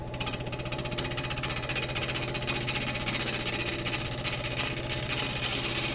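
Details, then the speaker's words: Woodturning cross-grain elm blank on a lathe: steady ticking of about three cuts a second over the lathe hum as the gouge rides the out-of-round, wobbling blank cleanly, letting wood come to the tool instead of pushing, so no bounce. "So if I push the tool onto the wood, it will bounce, but if I let the wood come to the tool like so,"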